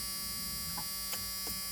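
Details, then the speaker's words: 1986 Ford F150 with both fuel tanks and sending units replaced and the tank-switch reservoir cleaned: key in accessory, a steady thin buzz from the seat belt reminder (no belt on) while the fuel pump primes lines and fills the reservoir. "a little buzzing isn't that it's because I don't have a seat belt on"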